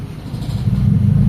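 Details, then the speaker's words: Honda Civic with a VTEC engine that had an idle problem: the faulty ECU sent no signal to the idle control valve, so the valve was bypassed. With the AC on it now holds a low, steady, smooth idle without dipping or stalling. "So hindi na siya namamatayan mga bossing. Magagamit yan na niung aircon niya. Ayan. Ito yung andar nung kotse niya mga bossing."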